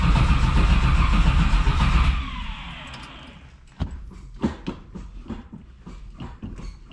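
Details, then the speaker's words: 1968 big-block Camaro started after sitting, following a power-steering conversion with the Classic Performance 6768PSK-BB kit: engine fires and revs, then idles unevenly with irregular dull knocks from the engine hitting the exhaust pipe. "i could already uh feel and hear the engine hitting that exhaust pipe can't really do nothing about that"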